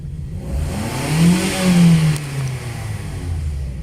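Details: 2010 Toyota Vios after front-collision radiator and condenser replacement and clearing a camshaft position sensor circuit code, check engine light off: engine catches cleanly, revs up smoothly and settles back to an even note; healthy normal start.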